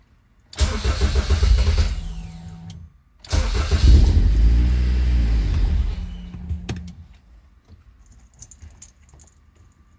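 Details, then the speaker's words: K24 engine just reinstalled in a Honda CRX, first start after rebuild: cranks and catches, dies within a second, restarts, runs rough about two seconds and stalls by itself; cause unknown. "help she wanted to go turned on for a second stall it all by itself try it again okay uh I'm not sure why she's turning off by herself but when she is running sounds good"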